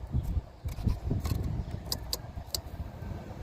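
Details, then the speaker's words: 2003-2009 Toyota Sienna V6 not charging: bridging the broken main fuse connector gives a few sharp relay clicks over low handling rumble, and the AC comes on. "however if I touch them together you bridge it you're going to hear a little clicking sound hopefully you hear it"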